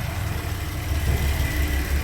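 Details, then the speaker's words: Porsche Cayenne VR6 after PCV repair for rough running and whistling: steady, even cold idle with temperature around 60°C and no hunting, stumble or whistle; oil pressure good, engine idling stable and healthy. "الماكينه ليتر بار مينوت ستابل. الطوموبيل مازال بارده، شوف لا طومبيراتور فينا هي، مازال يلاه كاينه في 60. الطوموبيل ستابل تبارك الله ما شاء الله."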